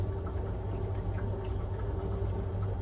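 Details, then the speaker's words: A boiler hums low under irregular watery bubbling and gurgling, which the plumber recognised at once as a blocked condensate trap. "I know what that is just from that gurgling. condenser pipe there. Right, let's come get a bucket and wet it back. So, block condense trap, which is that the bottom of it there."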